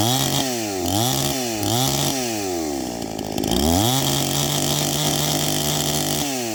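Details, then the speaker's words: Tuned first-generation Stihl MS261 with a rebuilt Zama carburetor and gutted ported muffler, 30:1 mix at 7,000 ft: still slightly four-stroking at high rpm unloaded, then holds a strong steady pitch cutting dry Ponderosa; normal full-throttle cutting. "so you can hear it it's still four stroking a little bit there in the high and at the high RPMs and then she settles down once you put her in the wood"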